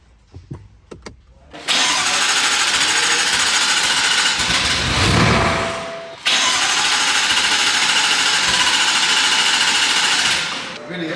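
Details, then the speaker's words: BMW M5 F10 engine, rebuilt with forged rods and pistons after it blew at 120 mph, on its first start after the rebuild. It catches after a short crank and settles to a loud, steady, even idle with one smooth blip: a normal start. "i am sure that the audio does not do justice to how loud this car actually is"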